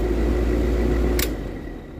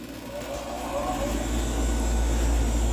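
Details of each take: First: Old R22 air conditioner compressor, after fitting a different capacitor, fails to start drawing 72 amps with burnt smell and smoke; heavy steady low hum, no spin-up, then click: locked rotor from melted terminal pin blown out. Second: Newly installed R-410A AC condenser replacing an R22 unit whose compressor terminal blew out, house near 85°F: a low hum builds quickly and settles into a smooth, even run without rattles. Normal running.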